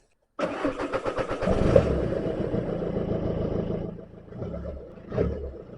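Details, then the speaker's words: 2007 Audi A3 2.0 TDI diesel after replacing intercooler turbo boost pipe (boost leak): cranks briefly, catches and settles to a steady even idle; test drive afterwards showed good boost and strong pull, leak fixed. "right then guys so I think we can say 100% that this time we have fixed it as long as nothing else goes wrong but as far as I'm concerned we fixed it"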